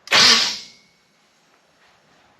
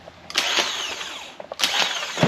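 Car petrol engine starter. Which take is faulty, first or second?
first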